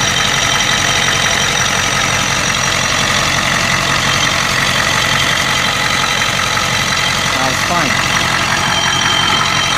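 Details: 1992 Ford 7.3 IDI diesel idling loud with an uneven, stumbling beat and hollow chuffing under the clatter. The random misfire comes with intermittent blowby and an injector-like knock. Teardown found two broken second rings and one bad valve guide.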